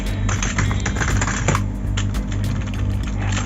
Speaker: my first me is like kind of regular keyboard kind of bit clicky too I don't know what the hell is wrong with this thing it's really noisy